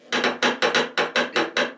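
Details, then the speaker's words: Whitlock Cobra steering pedestal, 30 years old, on a Westerly Ocean Quest yacht, banging when the wheel is moved quickly: sharp hollow clacks about four a second as the linkage is wiggled by hand, showing play. Later refurbished. "there's obviously some play there, and I think that's all that's been happening. We've maybe never ever operated the steering quite so violently."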